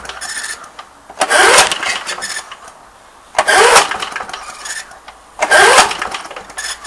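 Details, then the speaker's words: 1982 Briggs & Stratton mower engine, previously coughed and quit: three pull-cord bursts, spins but never fires even with WD-40 sprayed in the carb; owner suspects lost spark or blown head gasket (whistling from carb). "think it is now start doing anything I even spray wd-40 straight into the car and it never fired so think it might have lost spark"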